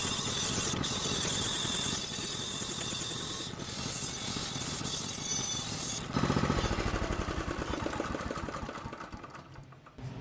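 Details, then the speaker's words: Small single-cylinder engine on a derelict go-kart being rebuilt as a remote-control ride-in kart, fired up to idle during the build; pops into life with a fast, uneven putter that settles and fades: healthy start and idle. "Should we just fire it up? Fire it up and idle it?"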